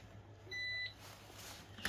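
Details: Tiger JPX-A100 rice cooker powering up normally on 220V AC after repair from a wrong-voltage plug-in, with an anti-wrong-plug protection circuit fitted: one short clean high beep, then a faint click as the relay closes after a few seconds' delay.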